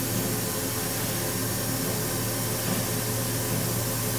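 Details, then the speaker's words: Laser cutter firing with no material and air assist off: only a steady low hum and soft hiss, no whine; the squeal appears only when cutting material. "тихо-спокойно никаких отклонений"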